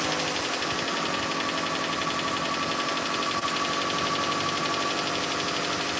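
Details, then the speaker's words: Toyota Prius after head gasket replacement, first start after sitting long reassembled: fast, busy lifter ticking over an evenly running engine, lifters not yet pumped up with oil. "you're gonna hear that rattling sound you had your engine uh put together for a long period of time before you started it so the lifters didn't quite"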